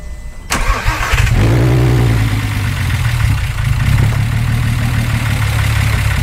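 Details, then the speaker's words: VW Jetta started for the first time in years, brand-new valves in the head, zinc additive in thick break-in oil: fast idle with a light quick ticking over the rumble; valves loud until broken in and thinner oil added. "oh man yeah the valves are gonna get louder until the car actually breaks in um we use what we call a zinc additive so when you use a zinc additive you it's gonna get loud until we get thinner oil inside of here they're all brand new valves on the head so it's going to be a little on the loud side"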